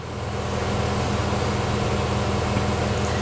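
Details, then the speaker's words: 2020 Mazda CX-5 AWD, 2.5L with 6-speed automatic, idling after torque converter replacement and transmission flush per bulletin 05-005/23 (3rd-4th shift chirp), codes cleared, during initial learning in M: steady raised idle, smooth even hum; normal. "And the RPMs have come up. So, I'm just going to sit here. It's doing its own thing."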